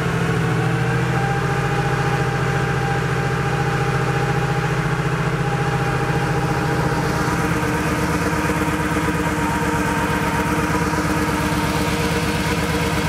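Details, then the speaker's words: Porsche 3.2 Carrera flat-six on first start after engine installation, cold, oil about 1.5 quarts low. Lumpy, uneven idle with a shaky low beat and the deck lid jiggling. Rough running; owner suspects one unhappy cylinder. "you know it's not super duper smooth is it you've got to see the deck lid jiggling back and forth here i don't know it almost sounds like we have maybe one cylinder that's not super happy"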